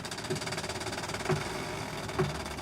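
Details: Chevrolet Aveo with the engine idling as the steering is turned: three sharp, dry knocks about one a second from a dry inner tie rod joint on the steering rack. The noise is quieter once the car cools slightly.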